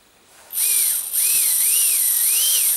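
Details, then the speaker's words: Micro ducted fan (EDF) on a servo tester, after a drilled balancing hole made it heavier: high, thin whine swelling and dipping with throttle with a buzzy roughness; vibration is back, rotor out of balance. "yeah vibration is back now that's because I've changed the weight so now I'm on the right track because now I've made it heavier"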